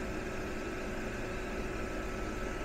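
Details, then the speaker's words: Modspioneers 24V DC 11000 BTU RV rooftop air conditioner, compressor just kicked back on after lowering setpoint (17.2 W when apparently fan-only, now about 245-248 W): low steady hum with faint tone over fan rush; running normally and quietly. "So I think we need to turn the temperature down. Okay, there we go. I hear the compressor coming back on."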